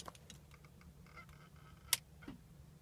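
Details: 2007 (57-plate) BMW X3 M Sport, key turned to start: single sharp clicks with no cranking, while the dash lights work. It starts by bump-starting but not by jump-starting; the starter motor had failed.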